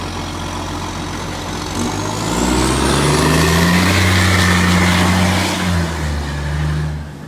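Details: Shire of Serpentine-Jarrahdale garbage truck SL001401 out collecting, 16 Dec 2024: diesel pulling under load with a steady puffing tick, about 220 per minute; exhaust leak.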